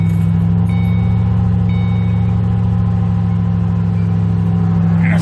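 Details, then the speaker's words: 2005-2010 Ford Mustang 4.6L 3-valve V8 started after a throttle body cleaning, cooling system just refilled: fired right up without smoke into a smooth, even low V8 burble at a steady idle, no misses or hunting; normal idle. "let's go ahead and fire it up it's normal if it gets pissed off and idle's rough and doesn't want to run that's fine and it actually fired right up"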